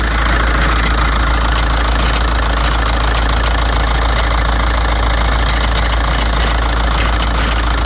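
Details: 2006 VW Jetta 1.9L BRM TDI diesel idling with a loose, uneven metallic popping and clunking over its clatter, present since the owner bought it; cause unknown.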